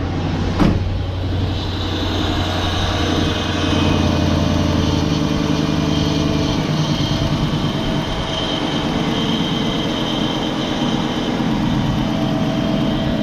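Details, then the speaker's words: LT1 V8 Chevrolet Caprice after replacing a cracked #8 rear spark plug porcelain and gapping plugs: quick crank, catches immediately, smooth steady idle with no stumble; misfire appears gone, slight exhaust leak noted. "here it always sounded good I think it finally I think the misfire is finally gone y'all"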